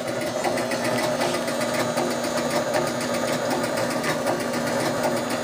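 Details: 1976 Gottlieb Card Whiz pinball machine under repair: continuous steady electrical buzz with faint irregular chatter, unchanged throughout after firing it up; buzzing persists, cause not found.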